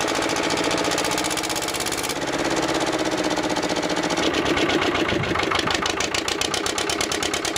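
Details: Old twin-cylinder diesel vibratory roller that broke down about 20 years ago, after running a while: even, steady beat that quickens slightly and settles, no misses or knocks; running normally, earlier second-cylinder miss suspected from injector debris.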